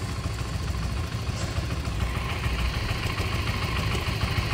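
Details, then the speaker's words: Stock Modenas Z15GT motorcycle at idle: a light, fairly even tick at roughly two per second that persists with the clutch pulled and seems to come from the cylinder head/top end. Source not confirmed. "Ada bunyi macam tok tok tok tok tok tok tok tok tok tok. Ni motor standard guys. Ha motor standard. Kalau tarik clutch pun sama. Dia still akan berbunyi."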